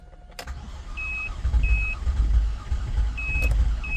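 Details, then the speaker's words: GMC Acadia / Chevrolet Traverse that would not start or crank: after bridging the data lines the ECU communicates; uneven, labored cranking under a repeating door chime, engine turns but never catches, MAF disconnected; mechanic suspects the engine itself is bad. "marcha se dan cuenta ya da marcha u se oye bien feo mano no no no no este motor según yo no sirve se escucha horrible"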